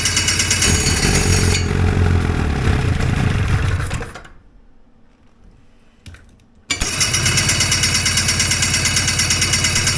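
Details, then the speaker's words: Two-stroke hovercraft engine with fuel supply unhooked runs rough and uneven, fades and almost stalls, then catches again; fuel dripping from the carbs, loading up and flooding. "I've unhooked the fuel supply. See if I can run a little bit of, get it to run for a minute without flooding out on me. It seems to be flooding out."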